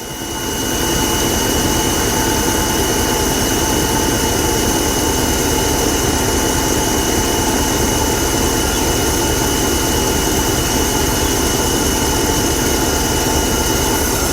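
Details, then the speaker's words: 1985 Buick LeSabre Estate Wagon after new fuel lines: started right up, even steady idle with smooth exhaust note, no knocks or ticks, much quieter than before; normal idle. "started right up. A lot quieter than it used to be. See how long it'll run."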